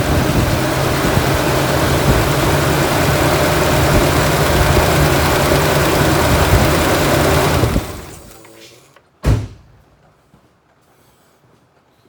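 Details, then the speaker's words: 1998 Ford Ranger four-cylinder idling rough, stumbling and lurching every few firings before shutting off; an injector unplugged for a noid light test, causing a misfire, confirming the computer's injector driver signal works. "right as you see there the annoyed light was flashing ejector was unhooked which caused the engine to misfire"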